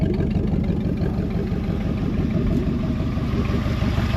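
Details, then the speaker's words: 1973 Mercury Montego GT, 400 cubic inch Ford V8, sat ten years, first start: steady, even low rumble with soft glass pack exhaust burble, no knocks or misses; healthy idle, oil pressure good, belt floppy. "it go for it hell yeah out sitting there idling we just bought us a good one folks"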